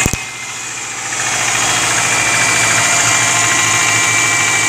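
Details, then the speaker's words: Early-2000s Subaru Forester, 250k km, recently done head gaskets, cold morning start with Rotella T6 0W-40 oil: cranks, catches, crisp even tapping about three to four beats a second at cold idle; piston slap, fades when warm, oil change didn't help. "a little tapping is still there again this is a piston flat tap it goes away when the engines warm right now it's cool"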